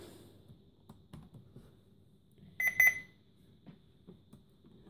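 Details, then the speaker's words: Dell Latitude CPx-H500GT laptop at power-on: quiet start then a short high double beep, POST warning of invalid configuration information because its CMOS battery is dead. "i will switch it on so now the cmos battery in this machine is dead"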